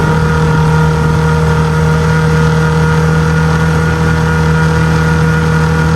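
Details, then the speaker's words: Small six-horsepower outboard on a 2002 1236 jon boat under load: steady, even drone at constant revs, no misses or surging; slow to plane, then holds a steady 13, touching 14. "all right it's the next day but the little sixh horse did pretty good did take a while to get on plane but once it did it got up to 13 steady 13 it actually touched 14 a couple times"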